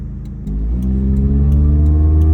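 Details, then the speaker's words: Original 1989 Toyota Corolla DX, 34 years old, on test drive under acceleration: pitch climbs with a deep, raspy drone growing with throttle from a muffler leak; otherwise runs and drives well. "So this thing's got a bit of a muffler leak. Obviously, I'm not complaining. This is a $500 car. It's not a big deal. I'm sure you guys hear that. So just a bit of a muffler leak, but other than that, it runs and drives perfectly well."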